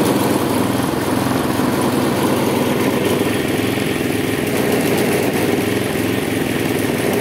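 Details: Husqvarna J55S mower, Briggs & Stratton 650 engine, old and worn, throttle tied open after restart: uneven, pulsing beat that never settles, shaking the handles, black smoke puffs; engine hunting, cause not confirmed.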